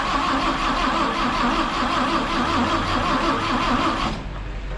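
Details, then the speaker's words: 1958 Chevrolet Apache long sitting, after new rotor, cap and plug wires and a couple of pedal pumps, starter churns about three turns a second for four seconds with no firing; cranks but won't start; a broken wire may be grounding out. "nothing not even acting like she's trying Let's uh check her for spark"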